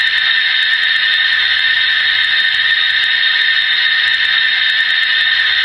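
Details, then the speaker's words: Slab leak detection above a buried water supply line: a steady, high-pitched hiss of pressurised water escaping, louder at one end and dropping toward the other, which pinpoints the leak near the louder end. "See how it comes down a little bit? So, it's easy to tell that the sound is louder on this end."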